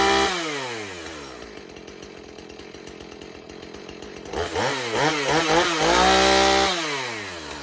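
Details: 2007 Husqvarna 450 e-series chainsaw, 50cc two-stroke with 20-inch bar, cold-started with primer pumps and choke: pops, catches and settles to a steady burbling idle, then revs up cleanly and drops back; a healthy saw running well.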